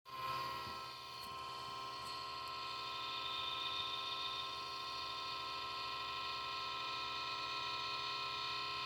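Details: Xbox One power supply adapter: constant high-pitched whine with a few steady tones, unchanging throughout; electrical whine from the power brick, cause unknown.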